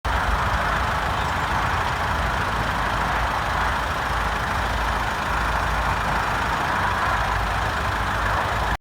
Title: Toyota Corolla 2.2 D4D noise at idle when warm as reference 160000 miles approx.